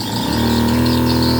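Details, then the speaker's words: Replacement 12V compressor pump on a pesticide sprayer, speed control turned to full: small pump spins up within a fraction of a second to a steady, even hum of constant pitch; running normally at maximum. "Rồi bây giờ mình sẽ hết tát luôn nè, chạy hết tát luôn này, hết tát nè, nè"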